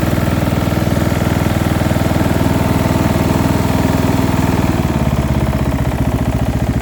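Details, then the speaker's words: Small single-cylinder engine on a quick build with a muffler fitted, checked before going into a Murray build: steady idle with a light, low-end rattle riding each firing pulse; owner says it is not a heavy knock, and the source is unclear. "is a bit of a low end rattle but it doesn't necessarily sound like a knock"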